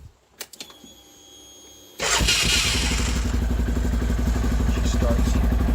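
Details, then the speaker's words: 2013 CFMOTO Z Force 6 UTV starting after its first oil change, with a new fuel pump fitted: a couple of quiet clicks, then it catches in a second and settles into a steady, even run. A clean, healthy start. "She starts beautiful with that new fuel pump."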